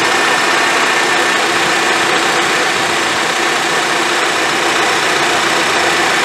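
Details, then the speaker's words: 2010 Honda CR-V with A/C not working, during diagnostics: steady, even rushing whoosh over the idling engine, no rattle or rub, as the condenser fan runs after its connector was plugged back in; normal condenser fan operation. "yeah as you can hear the fan condenser on right now with the connector put back so okay we got power and another size of course the crap"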